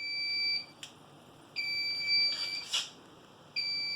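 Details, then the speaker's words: Home theater PC/server RAID controller alarm: a two-tone beep repeating every two seconds in a quiet room. Consistency check failed and the array is degraded because one 8 TB Seagate drive failed. "One of my 8 TB Seagate drives has failed and that's why it's beeping."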